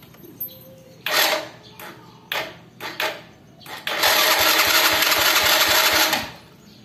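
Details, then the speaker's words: Honda Legenda/Supra motorcycle electric starter fails to crank properly: harsh, rough rattling grind with rapid ticking, about four per second, on each crank attempt. Worn starter motor bushing. "bunyinya kasar-kasar bunyinya semua ckckckckckck"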